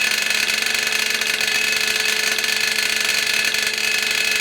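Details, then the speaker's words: Craigslist jointer after resetting knives per manual: motor at constant speed with harsh high metallic buzz; cutter head knives are striking the metal safety guard. "sound is the blades hitting that metal safety guard I must have had the blades too high and eventually the guard settled in place and hit those blades"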